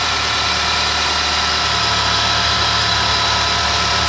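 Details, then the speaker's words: Ford Zetec Rocam engine (Fiesta/EcoSport/Ka) after replacing the timing chain kit to cure chain and tappet noise on cold start: even, smooth idle with a steady hiss and no chain slap or tappet clatter; running perfectly. "como vocês podem ver taís funcionamento do motor é um trabalho bonito perfeitamente"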